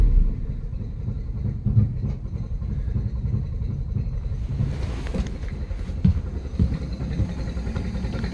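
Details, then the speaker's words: 2013 Yamaha 9.9 four-stroke outboard, choked, at about quarter throttle: low, uneven, lumpy rumble that never picks up cleanly, boggy and barely running though it will idle; rough running complaint confirmed, from clogged carburetor jets. "oh yeah barely running we're like probably quarter throttle too okay problem confirmed runs like crap okay it will idle good deal"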